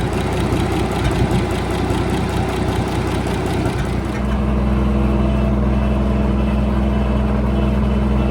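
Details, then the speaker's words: Minneapolis Moline G706 tractor after valve adjustment: slow, lumpy idle around 140 beats per minute with skipped firing pulses; runs great off idle but misses at idle. Ignition suspected, cause not yet found. "If you guys can hear that miss, that's what I've been trying to get out of this idle on this tractor. It seems like once it's off idle, it runs great. Doesn't skip a beat, but at idle, it just has a miss."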